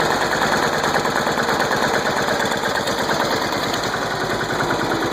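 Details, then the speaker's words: Small single-cylinder engine's first start after being flooded with mossy water, with only the starter cleaned and manual choke used: popping along at a fast, steady rate with no stumbling or dying out; runs normally. "There we go, she's running after she was flooded. There we go, guys. First start after being flooded. Only thing I did was clean the starter. Fired right up on me."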